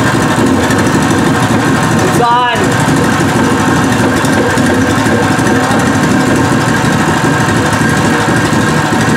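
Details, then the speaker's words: New Pro Point 208cc 7hp electric-start single-cylinder engine, first start unmounted on floor with fresh oil: steady even chug with rattly buzz from frame vibrating; engine runs smooth, normal idle. "it's vibrating so much and that's how you turn it off you move the key to off"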